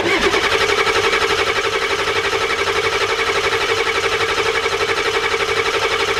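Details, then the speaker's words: 1993 Ford F-250 7.3 IDI diesel, injection pump turned up two flats, injectors primed: extended cranking to bleed air from the injection pump, steady starter churn about four pulses a second, no firing yet. "so all right we're starting to get feel and crank her a little bit longer here get all that air out of there so that way i don't wreck it"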